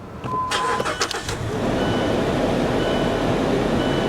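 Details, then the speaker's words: Mazda CX-5 at a salvage auction with AC on, gears engaging normally: a brief crank of a few quick pulses, then it catches at once and settles into a smooth, steady idle; it fires right up, a normal start. "Yeah, dude, I'd be gone. I would jump in this and I would leave. And it fires right up too. Listen to this."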